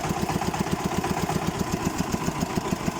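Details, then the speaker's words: Xingtai 244 Chinese diesel tractor running at constant speed: a steady, rapid knock about eight a second, appearing with slightly higher revs and load and getting stronger; cause unknown. "Сильнее, сильнее, по-моему, становится стучать. Ой. Что такое может быть? Ни на что не похоже."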